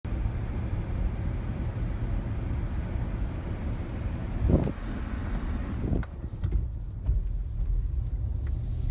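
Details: 2015 Cadillac Escalade while driving: low road rumble broken by dull thumps, felt like not shifting properly or like crossing small speed bumps. Transmission or engine suspected; the dealer says Cadillac is aware of the issue.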